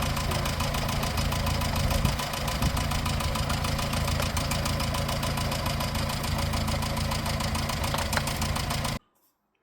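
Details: 1954 Morris Minor Series 2, noise first heard at about 50 mph, listened to at idle: rapid light tapping about 200 a minute over a steady idle; valve-train tappet clatter thought to be in the front two cylinders, not the water pump.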